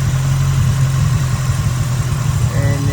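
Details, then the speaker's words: 1989 Nissan 240SX KA24E at idle after lowering the idle screw from fully out: low, uneven idle that sags and wavers as if about to die; stumbling and misfiring near stalling, cause unconfirmed. "So, the idle screw was all the way out. I lowered it, but now it's like misfiring."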